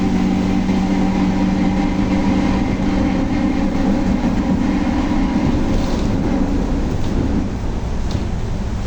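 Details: Volkswagen Torino S 17-230 OD Euro V bus, driving: a steady drone under the road noise carries a constant low howl and fades as speed drops; loud howling differential.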